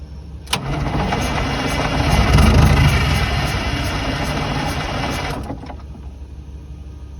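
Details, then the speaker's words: 1982 Silver Eagle tour bus, Detroit 6V92 diesel, parked 6-10 years, weak batteries charged from a truck; long cranking with a small ether shot, briefly catches then dies back; cranks but won't stay running, cause unconfirmed. "i give it this little sniffer ether it's a real small and it'll catch for a second but it won't won't pick up"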